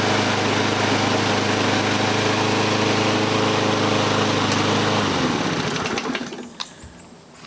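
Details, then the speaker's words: Toro Recycler front-wheel-drive self-propelled mower after drive cable replacement: small engine holds steady even buzz about five seconds then winds down cleanly; running normally. "back in business the Supper pail works well"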